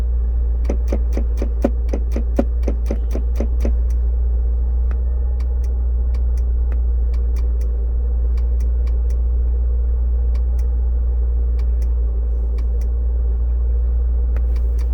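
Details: 2002 Discovery S2 SE at cold morning start-up: sharp dry clicks, apparently from the under-dash fusebox, over the idle hum, fast then slower and uneven, stopping after a few minutes; the shifter lights blink in sync; cause suspected, unconfirmed.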